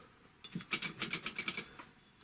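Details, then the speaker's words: Typical GC6150H industrial sewing machine turned by hand: quick dry scratchy ticks from under the handwheel pulley, caused by a hand-sewing needle and thread wad caught there, scraping. "Вот эта иголка, она и шкрябала здесь."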